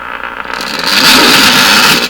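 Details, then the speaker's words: Stewart Warner R514 tube radio during an IF sweep to check IF alignment: a hissing, rushing noise swells for about 1.5 seconds, then cuts out. This is intermittent wild oscillation in the IF, heterodyning with incoming station signals. "it really does sound like a wild oscillation in the iaf of this radio and anytime you pick this guy up enough boom"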